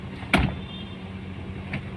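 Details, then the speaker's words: Toyota car running on LPG after servicing a rough-idle vacuum leak (a pipe had come off): shifted into D with no AC or other load, a steady, even low idle hum holds speed with only a couple of clicks. The LPG-side rpm can be raised if low. "D তে দেই RPM টা এরকম দেখা যাচ্ছে"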